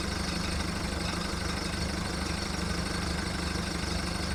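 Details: VW Golf mk1 1.9 TD turbo diesel cold-started after 5 months of winter storage, idling rough while warming up with a deep, uneven clatter and lumpy low pulse.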